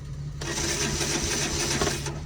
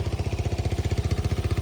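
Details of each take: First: Old Kawasaki Bayou ATV, November cold start, choke lever broken, fresh gas about a month old: starter churns at a steady, even pace with no firing or catch; crank, no start. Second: Old, worn Kawasaki Bayou ATV at a November cold start, idling high: small single cylinder thumping quickly and evenly, about fifteen pulses a second, no misfires. Normal idle.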